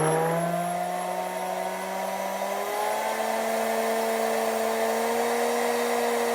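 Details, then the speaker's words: R8 spindle after retrimming shank 1/2 and adding 35mm insert for support, at full 18,000 RPM: steady high whine climbs slightly then holds, no low hum underneath; earlier hum attributed to bearings, now smooth. "That's 18,000 RPMs and no humming, nice and smooth."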